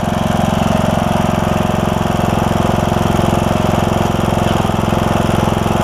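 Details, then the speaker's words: John Deere E100 with 17.5 hp Briggs engine, 80 hours, after camshaft replacement for a broken compression release: starts right up and gives a steady, even thumping idle with no misses or knocks while oil burns off the muffler. "sounds good though start it right up too so that's awesome"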